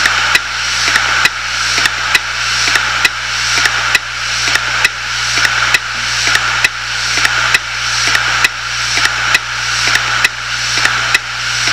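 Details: 250 GB Hitachi Deskstar 7200 RPM hard drive, dead and half full of data: loud, evenly spaced clicks about once a second over a faint steady hum; a failing drive stuck clicking.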